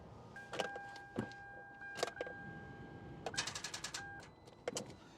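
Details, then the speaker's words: Car with weak battery on an older jump starter pack: repeating two-tone electronic beeping among clamp clicks, engine never cranks; jump starter insufficient power error. "sounds like we got some power not nearly enough to actually turn the engine just getting this terrible beep again"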